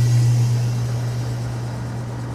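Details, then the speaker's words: Antique Frigidaire W-5 refrigerator compressor just after charging, about 150 psi high side and 50 psi low side, cooling the heavy evaporator down: strong steady low hum slowly sagging in level; compressor labouring under heavy load, owner hopes the motor doesn't stall. "You can hear now it's got a heavy load on the compressor. $150 on the high side and $50 on the low side. Hope the motor doesn't stall. She's working as hard as she can."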